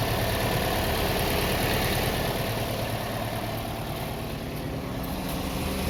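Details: Toyota Vios that had cranked but wouldn't start, now running: steady, even low idle with smooth, unchanging beat and no misses or knocks; engine running healthy.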